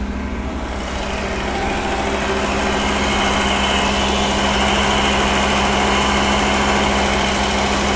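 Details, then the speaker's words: Pre-1990 Audi 90 after engine repair, A/C on: steady drone that slowly climbs and holds high instead of settling; the intermittent idle control motor isn't working, measured at only 0.3 volts. "Sometimes it works, sometimes it doesn't It's definitely not working now Brother, you need to turn off the air conditioning Let's go outside and take a look The idle motor isn't working again"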